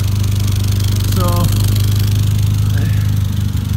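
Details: Steady idle with a rapid, uneven puffing chuff on the low exhaust note, about three or four a second, traced by ear to one spot and felt from one side: an exhaust leak blowing at a joint.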